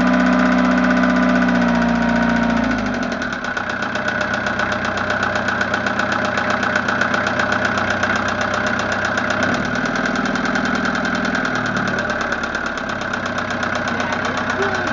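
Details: Westerbeke Four 60 15 HP diesel in a 33-foot Pearson sailboat at about 75°F ambient: hard starting, then a lumpy idle with a steady quick tapping about four per second over the clatter; source not pinned down.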